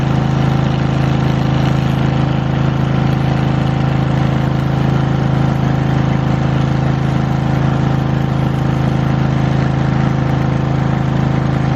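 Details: Lincoln Weldanpower 150 welder/generator bought cheap, started with fuel on and choke after new fuel line, air filter and oil change still pending: deep, even engine drone and steady hum, no stumbles, knocks or surging; normal running, machine works.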